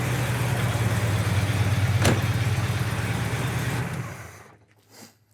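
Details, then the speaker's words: 1971 Oldsmobile 442 Convertible, factory 455ci four-barrel Rocket V8, Turbo 400 automatic, choke kicked down: deep even V8 burble at settled idle, no knocks, misses or ticks, then fades off; normal idle. "Sounds good. Great sounding engine."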